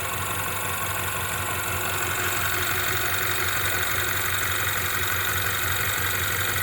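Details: 2016 Ford Mustang 2.3L EcoBoost, replacement engine with reused cracked intake, 128,572 miles, flashing check-engine light: uneven, lumpy idle stumbling about three times a second under hissy top end, shaking badly; misfire at idle.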